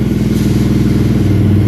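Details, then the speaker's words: 2022 Honda CRF300LA after replacing the shifter spindle that stopped it shifting past second gear: engine running while shifting from neutral through first to fifth. Steady beat with no clunks or grinding; shifting is normal after the repair. "so we're in first gear second gear third gear fourth gear fifth"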